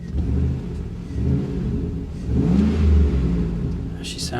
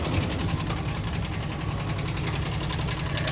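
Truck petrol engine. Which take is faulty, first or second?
second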